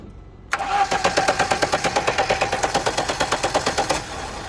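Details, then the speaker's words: Lada Niva stalled at a fuel station and would not start; no current coming through the ignition switch, so it was bypassed: starter cranks about three seconds, then the engine catches and runs; ignition switch failure. "Оталмайды, өшпейді. Замогыңыз дұрыс ма еді аға? замоктан бері қарай не келмей тұр ғой. Тоқ келмей тұр, иә."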